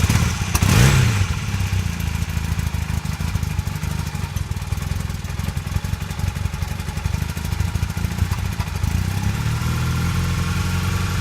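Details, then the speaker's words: 1982 Honda CB450 twin during restoration, after new petcock and airbox parts, while setting idle: low idle thump with uneven firing clatter, still a little rough but better than before. "Just setting the idle is what we're doing now. See if it's still running a little rough, but it's better than it was."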